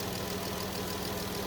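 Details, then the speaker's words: 2017 Dodge Journey after repair of a cylinder 2 injector misfire (P0202) traced to a faulty control module: steady, even idle hum with no stumble or skipped beats; the injector now pulses and the engine runs smoothly on all cylinders. "we will let it run and confirm that nothing else is going to give us an issue and kind of go from there but everything should be just fine"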